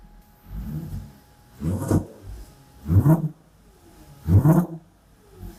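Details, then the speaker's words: Audi converted to E85, just after fuel pump replacement, cold engine at about 13°C: four sharp throttle blips climbing quickly and dropping cleanly to a quiet idle; revs freely and sounds healthy. "[ __ ] ce bruit mais qu'est-ce que j'aime ce bruitain comment ça monte vite"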